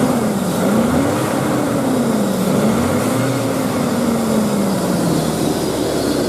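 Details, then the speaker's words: 2000 GMC Sonoma 2.2L I4 at idle: steady airy rush over a smooth idle with faint wavering tone, loudest near the plastic intake; only at idle, changes volume with AC on; owner suspects refrigerant (freon) noise, source not confirmed. "it only had it only happens at idle and actually it could be it could actually be freon because I think I only here with the AC on are here at loud anyway"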